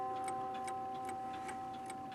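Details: Seth Thomas 1302 Woodbury clock, bought at a flea market, after realigning out-of-line hammers: even, crisp ticks about every 0.4 seconds with a faint steady tone behind; running healthily.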